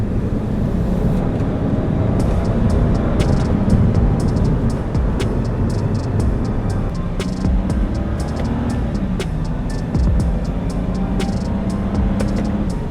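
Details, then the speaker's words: 2010 BMW 535i E60 N54, driven hard in manual mode at higher rpm on fuel and seafoam mixture after intake-valve walnut blasting and carbon cleaning; steady note, revs rising smoothly, no stumble or knock, running well and smooth. "So the car feels like it's running really well and smooth. There's no issues so far."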